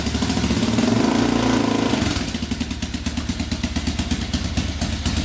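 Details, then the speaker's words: 2004 Yamaha Raptor 660 quad after carburetor refit, cleaned tank, fresh fuel, new gas line, straightened exhaust and an added quart of oil: brief rev then even steady putter about three beats a second, no misses, not smoking, idling perfectly. "So let's try to start this thing up. Here we go. Not smoking. Idling perfectly."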